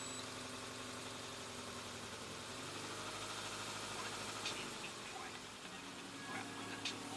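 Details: Subaru engine after complete timing belt kit replacement to cure a knock possibly caused by a faulty tensioner: quiet, even idle with a steady low hum and no ticking or knocking; smooth and healthy.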